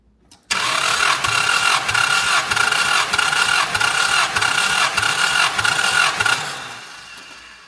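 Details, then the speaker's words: 1988 Chrysler Conquest (Mitsubishi Starion) turbo, 77k miles, sat 10 years, during compression test on forklift battery: steady, fairly slow hissy cranking for about six seconds, no catch; engine cranking sluggishly, about 90–100 psi. "We're a little low though. Let's try it again. It's not really cranking that fast though."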